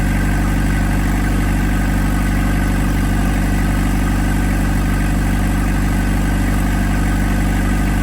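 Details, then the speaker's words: 1991 Toyota Townace with a 2C diesel, just restarted after the injection pump was removed and resealed because of badly leaking 35-year-old seals: a steady, low, even clatter at idle, about three pulses a second, no misses or hunting. Healthy diesel idle. "All right, we are running."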